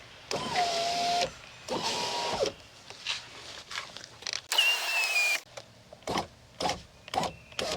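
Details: 2001 Chevy Silverado (GMT800) rear window after replacing the wrong regulator and fitting a new Dorman window motor: several short, even motor whirs, each ending cleanly as the glass stops, no grinding or binding; window operates normally.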